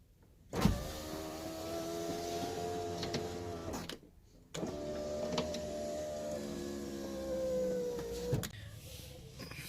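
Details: Honda CR-V power window after replacing the window regulator; the old one's cable was torn and noisy. Two smooth, even motor runs of about 3.5 seconds with a steady hum, no grinding or clicking. Normal power window operation.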